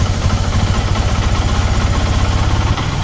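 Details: Yamaha R15 V2 with misfiring and hard starting: low idle with an irregular, stumbling pulse and missed beats instead of an even putter; misfire at idle.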